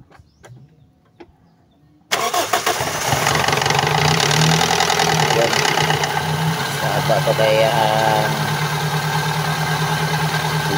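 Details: Toyota Altis with noisy fan belt because the tensioner does not hold, noise loud in the morning and when revving, belt already replaced once: engine idles with a faint wavering chirping squeal, slipping belt from weak tensioner.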